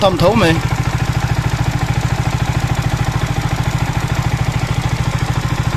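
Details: Yamaha R15 V3 engine at idle, even thump with light mechanical clatter on each beat; top-end noise, rocker arm bearing suspected, not confirmed.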